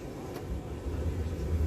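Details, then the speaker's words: RV furnace after a simple fix, previously clicking but not lighting, switched on at the thermostat: low blower hum builds and steadies, running normally and blowing warm air. "you hear the noise so that's the furnace okay see it's blown pretty good warm"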